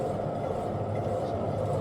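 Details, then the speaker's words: 2010 Buick LaCrosse with roaring noise when driving: even, low rumbling roar holding steady as the wheel spins, no knocks or clicks; worn driver's side rear wheel bearing, other side only brake noise. "So I just hear some brake noise. That's it. So looks like the driver's side rear is the one that's making noise."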